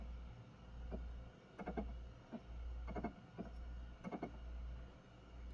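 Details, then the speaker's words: Xbox Series X drive with an Xbox One disc (Jump Force), issue ongoing over a month: low steady whir with irregular clicks and clunks every second or so; disc spins but is not recognised, no error message. "It's making like a sound, like a So it's clearly spinning the disc. But nothing."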